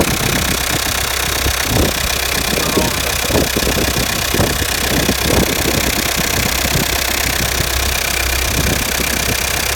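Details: 2007 Peugeot Partner 1.9 diesel (DW8B) idling: sharp uneven knock over the diesel clatter, caused by faulty injector; replacement used injector cured it.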